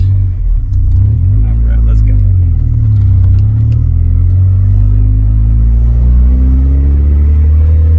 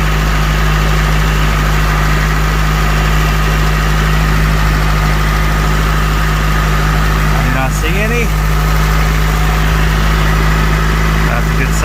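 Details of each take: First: Honda CRX Si driving, muffler has a hole, awaiting replacement; deep loud booming drone rising and falling with engine speed, occasional rear brake squeal possible; exhaust leak. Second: Honda CRX Si started after an oil change, fuel filter replacement and refitting of the air intake tube. Smooth, even idle with a steady low hum, no knocks, misses or hunting, though still somewhat loud from a holed muffler; normal idle.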